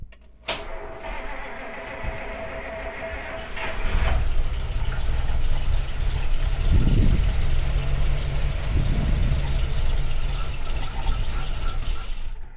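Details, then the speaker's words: 1948 Buick Roadmaster Model 79 wagon, 320 cu in OHV straight-eight, new tank filled and carburetor primed: long steady starter grind with surging swells but no catch; fuel has not yet reached the carburetor from the tank. "okay can't possibly do it on the first one the gas is still trying to make it yeah the gas is still halfway from the tank go ahead and prime it again"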